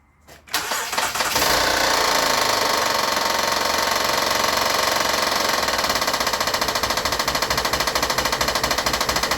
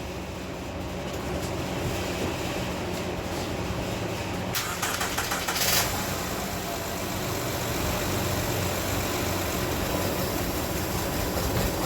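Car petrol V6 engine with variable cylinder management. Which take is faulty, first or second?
first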